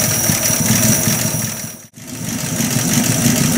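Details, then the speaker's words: Buick Roadmaster at full operating temperature after valve cover resealing, timing set with timing light at about 350 rpm, throttle screw stepped up slightly for a more even idle; slow, steady, even low chug, about three beats a second, no misses: normal idle. "we're done we're done it's it's running great for being that slow of an idle anyway I'm gonna go ahead and step up my throttle screw just a little bit here so it runs a little bit more even"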